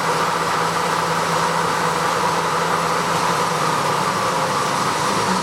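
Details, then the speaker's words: Clausing 2276 20-inch drill press on a rotary phase converter, high gear at 2,000 rpm spindle speed: even, steady hum with a light whirr, no knocks, rattles or wobble; runs smooth and quiet, normal running. "So there's 2,000 RPMs. It actually runs pretty smooth and quiet."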